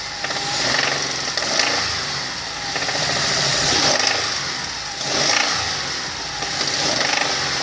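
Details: Hyundai Terracan G6CU 3.5 engine: sharp repeating knock through idle, growing louder and quicker with each throttle blip, coming from inside the engine; engine knock.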